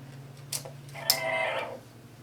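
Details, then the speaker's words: National RX-FM45 auto-reverse radio-cassette (100V, 6 D batteries), new belts just installed, playing a test tape: a clunk as play engages, a brief rush of tape sound, then a click and the deck stops; owner guesses the tape is too heavy. "didn't like that it's too heavy I guess okay that again I didn't like that it'll play it backwards"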